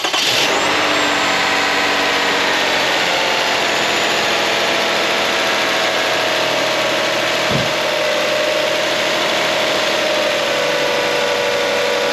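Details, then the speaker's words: 2004 Toyota Sienna at first start after replacing the A/C compressor, timing belt, water pump and drive belts; catches instantly and settles into a smooth, steady idle with a faint even belt whine; sounds healthy. "start it right up very good very good"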